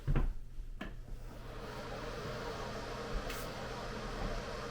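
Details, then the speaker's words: Newly installed replacement bathroom exhaust fan, tested before fitting the Bluetooth speaker cover: a low, even hum after handling bumps, quieter and smoother than the old fan, which rattled as if its bearings were bad; normal fan running. "So definitely a little quieter. It sounds smoother also."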